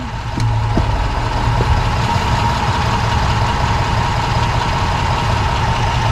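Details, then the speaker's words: 2006 Dodge Magnum after replacing rear differential bushings with Prothane, shifting into drive and reverse at idle; steady rumble, only a faint soft thud on engagement, no clunk; everything tight. "this rear end and axles and everything they just make a lot of noise drive reverse huh everything's tight"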